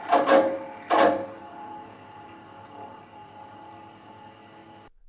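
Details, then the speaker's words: Yamaha KX-330 cassette deck playing with sudden harsh metal-on-metal grating bursts over a quiet hum and occasional tape speed changes; the capstan motor runs hotter than usual with dry, loose bushings. "As you can hear, it plays with a sudden grading sound like metal grinding against metal."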